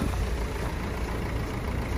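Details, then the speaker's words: Renault Scenic 3 1.5 dCi 110 bhp Euro 5 after replacing number four injector, cold freezing day: steady idle on four cylinders with faint diesel knock; owner suspects cold or the uncoded new injector. "you know what it isn't it isn't too bad it is a little bit diesel knocky but that might be just because it's freezing or it could be because the injector needs cing in"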